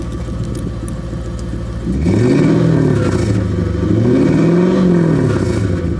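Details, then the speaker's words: 2001 Lexus LS430 just after installing an Injen short ram intake: idle then two smooth throttle blips, pitch climbing and falling cleanly, strong intake note with no misses or rattles; sounds better than stock. "Alright guys, so I just finished installing Injen Technologies air intake. It sounds good."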